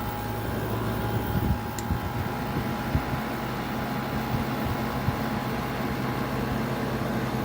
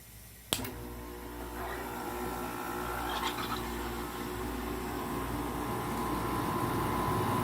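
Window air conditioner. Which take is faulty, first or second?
second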